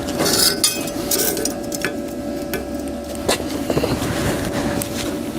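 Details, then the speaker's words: HITBOX MIG200II welder in MIG mode with the inductance turned up into plus: the arc crackles and pops with irregular sharp snaps over a faint steady tone, spattering unlike lower inductance settings of -3 and -1.5. "Pewnie już słyszeliście różnicę po dźwięku, czyli trzeszczy, strzela"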